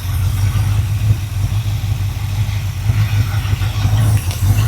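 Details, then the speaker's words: ZZ4 350 crate V8 for a 1955 Ford truck, sitting since 2013, first-start idle at about 55 lb oil pressure: low, deep, even rumble holding steady with no misses or knocks, healthy. "It runs and it sounds good."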